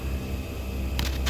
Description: Walkthrough of the entire air system with the new ARB dual screw air compressor. This thing's incredible